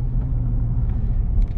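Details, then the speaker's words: Inside the car at about 40–50 km/h with a wheelbarrow strapped on the roof, the straps given a twist: only low road rumble, with no hum or flutter from the straps. They are whisper quiet. "and absolutely no noise whatsoever it's whisper quiet and i can't even tell that i've got a wheelbarrow on top"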